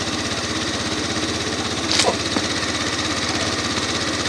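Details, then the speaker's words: Salvage Yamaha Zuma 125 scooter just started after new ignition fitted, fresh petrol and charged battery: small single idles with steady even putter about two or three beats a second, no knocks or misses; runs healthy. "That was so cool, it just started straight up. That is so awesome. I'm pleased about that."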